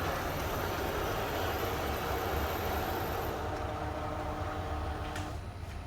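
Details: Kyocera TASKalfa copier with waste toner box (Parts Box Waste H Assy): steady even whir with faint high tones, no grinding or scraping; running normally.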